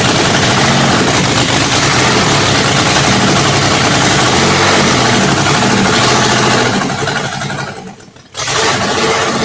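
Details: Rebuilt 1997 Monte Carlo 3.4L V6, lightly used with stripped bolts and cracked gaskets, after auto-tech class overhaul: cranks, catches and idles with an uneven, loping beat and periodic stumble; small misfire, cause unknown.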